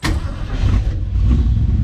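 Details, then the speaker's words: 1971 Ford Maverick 302 V8 with a newly installed Edelbrock Pro Flo 4 EFI, fuel pump primed: quick crank, then it catches straight away into a smooth, even rumble. Clean start, with ignition timing not yet set (thought to be around -12 degrees). "You hear the fuel pump, you see those lights turn on. Go ahead and start it."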